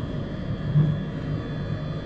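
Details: Truck diesel bunk heater after rebuild (cleaned out, new glow plug, gaskets, screens, fan motor): smooth constant low roar, no sputter or popping, no smoke; owner believes it's finally fixed after months of problems.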